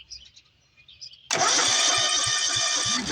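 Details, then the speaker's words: John Deere LT180 riding mower that stopped while mowing last summer, cranking: the starter churns with steady compression pulses but the engine never catches. Spark test shows no spark, looking like a bad ignition switch. "Come on, baby. We got no spark. So the next thing I'm gonna have to do is I'm gonna have to back trace these wires up through here and try to figure out if we have a bad wire or an ignition switch, but at this point it's looking like it's a bad ignition switch."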